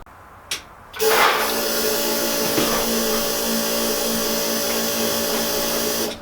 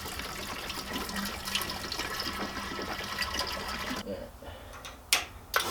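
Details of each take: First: Subaru EJ205 swapped into a Honda CRX, fuel system re-pressurized after replacing a pinched injector O-ring: steady electric whir for about five seconds then cuts off; fuel pump running normally, no leaks. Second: Subaru EJ205 swapped into a Honda CRX, fuel system pressurized with pump before first start: steady liquid hiss and splashing over faint pump hum; fuel leaking at the rail from a pinched injector O-ring.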